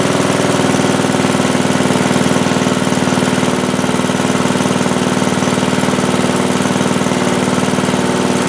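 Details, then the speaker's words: Craftsman T100 lawn tractor with a single-cylinder engine, after a hydrolock repair, first start with the engine cover off: steady, even putter at fast idle with no knocks or misses; residual oil in the muffler burning off; normal running. "Alright, not bad. Looks like we got some oil or residual in that muffler that's going to burn off for a little while, but it should be fine after that."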